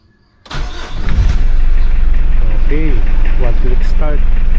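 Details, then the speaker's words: Mitsubishi L200 Strada 4D56 diesel pickup after DIY starter repair (previously clicked many times before starting), in neutral: short crank, catches at once and settles into a steady even idle; healthy one-click start. "Tapos okay na rin yung ano yung starter natin one click start na siya ngayon pero imonitor pa rin natin"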